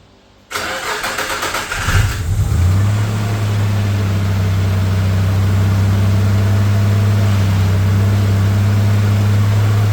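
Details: Newly rebuilt Nissan VG30 in a Navara EP31: cranks, catches and settles into steady idle with a light regular tap about three times a second; tapping noise under diagnosis.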